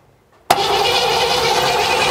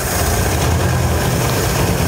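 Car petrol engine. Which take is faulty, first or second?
first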